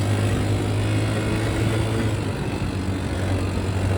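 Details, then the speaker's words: Can-Am DS90 small single rebuilt with new valves, cut seats and a cylinder machined down, and a blown-off hose rerouted correctly: a steady, even drone under light throttle with no knock, miss or rattle. Running good. "This DS90 is finally back together. She's running good."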